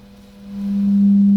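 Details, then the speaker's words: 1960s barn-find long range radio receiver, after reforming a buzzing speaker cone with alcohol and heat: pure steady tone near 200 Hz rising in volume, clean with no rattle or buzz; both speakers fixed. "and you can hear how nice that sounds no more buzzing there at all so both speakers are fixed"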